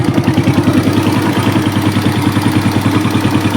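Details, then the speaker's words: Hot Suzuki Smash single above 1000 rpm: an uneven, lumpy, hollow chuff about three beats a second from leaking compression. The exhaust is black with no smoke, and the liner is badly scored, likely from sitting unused and condensation. "Nah, ini kalau udah mencelak begini udah keiritan ini mau nembak dia, keiritan ini. Nah, mesin maunya di segini ya. Ini bocor, ini ada kompresi bocor."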